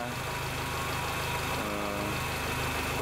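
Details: Old Honda Accord Maestro, idle set to 800 rpm; RPM drops when AC compressor clutch engages. Idle tone sags then settles as the compressor loads the engine while an NE555 12 V delay relay is tuned to match AC idle-up timing; delay still too long.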